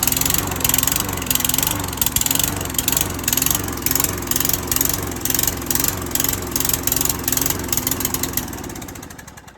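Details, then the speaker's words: Lawnmower that was seized, after fix including dust cleaning and oil change, started on one pull; engine chatters with a fairly regular firing beat, then winds down: runs normally. "Alright, here you go. I just fixed it. One pull. You saw that? One pull."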